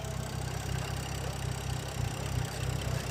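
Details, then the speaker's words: BMW F10 after a no-code rough idle, cold air intake cleaned; owner thinks it just needed cleaning or a connector was disconnected: low, steady idle with an even beat and no misses or stumbles; engine settles and runs smoothly. "But yeah, I think she alright. I think this just needed to be cleaned."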